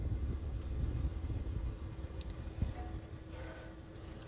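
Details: Gas York furnace after a new blower wheel and new motor fitted to cure a loud noise: blower runs smoothly with a soft, steady low rumble, no knocking, scraping or squeal.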